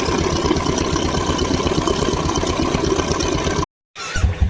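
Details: Royal Enfield single-cylinder: steady, even thump at idle with no knocks or rattles over it; the engine sounds healthy and settled.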